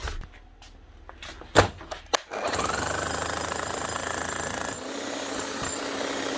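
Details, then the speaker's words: Bosch GSH 11E demolition hammer after a new bearing, new brushes and an adjusted red-light contact. Steady motor hum with a fast, even hammering rattle and no grinding: normal running after repair. "Yep, that'll do nicely. One Bosch GSH 11E, just one bearing and a set of brushes and the little red light contact adjusted, and she's up and running again."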